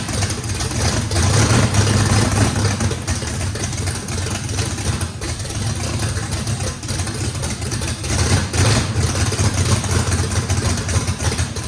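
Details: First start of a race V8 with a radical race camshaft, likely big overlap and lobe separation, needing a lot of throttle to idle: loud idle loping and surging unevenly, about two or three lumps a second; normal healthy big-cam lope.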